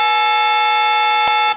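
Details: Western Electric glow phone before repair, plugged into an analyzer, with the owner hearing a tone or buzz when trying to dial out: a steady, unbroken two-note tone holds on the line and then cuts off. The analyzer shows an eight seized, as if a key is stuck.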